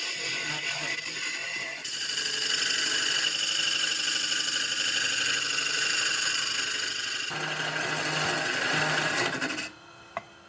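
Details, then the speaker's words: Buzzing, rattly chatter from the workpiece vibrating in a small chuck while deep-hollowing a gnarly maple bowl blank on the lathe with a very short tool rest, about halfway deep, cutting gently to avoid a catch. "Now you can hear the vibrations of the piece sitting just in a small truck. This is a very short rest here, and I'm probably about halfway deep now."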